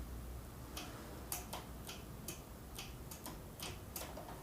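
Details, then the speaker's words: Vanguard 35 hp road-cutter engine that wouldn't start after long sitting, engine off: crisp dry fuel solenoid clicks about two a second; solenoid suspected as the no-start cause. Solenoid clicking normally. "솔레노이드 밸브 작동 하는 소리가 드려야 되는데"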